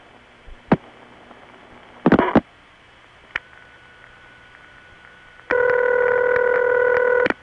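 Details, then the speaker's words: Normal crossbar ringback tone, a reference for comparison with odd ring types. A few line clicks, then one steady ring burst of almost two seconds, slightly gurgly from equipment on the line, but the real item. "Ah, there. Now see, doesn't that somehow feel better? It's gurgly because of the equipment on the line, but it's the real item."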